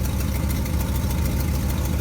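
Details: 1957 GMC 370 2-ton truck, original Pontiac 347 V8, revived after 20 years sitting, idling on its own tank: fast, sharp puffing tick over an even idle, keeping pace with firing; exhaust leak at the blown donut gasket.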